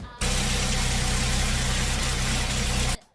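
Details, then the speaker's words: Hyundai Venue turbo DCT, idling: a steady drone with a hard, uneven edge to the low hum; abnormal engine noise from old, degraded oil, fixed by an oil and oil filter change. The showroom had called the noise normal. "ഇങ്ങനെ ഒരു sound വ്യത്യാസം നിങ്ങളുടെ എൻജിനിൽ നിന്ന് വരുകയാണെങ്കിൽ നിങ്ങൾ ഉടൻ തന്നെ നിങ്ങളുടെ ഓയിലും ഓയിൽ ഫിൽറ്ററും ചെക്ക് ചെയ്യാൻ ആക്കുക"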